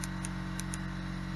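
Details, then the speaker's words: EZGO golf cart flooded in Hurricane Helene: new 3-terminal micro switch, replacing corroded mud-filled original, gives four crisp clean clicks over low hum before install; normal switch operation. "you can see our little switch is there little black spot here it's up nice like it's supposed to be and you can hear that thing clicking"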